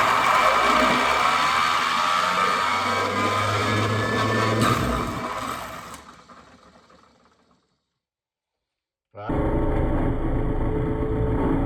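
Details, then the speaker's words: Hardwood floor edge sander's universal motor, first power-up after rewiring and reassembly, screams up with a rough, crackly edge, then cuts out and spins down; sparks seen through openings, owner suspects a brush problem or pinched wire shorting; brush lead arcing. "That wasn't good. I think I got a problem with one of the brushes or one of the wires got pinched."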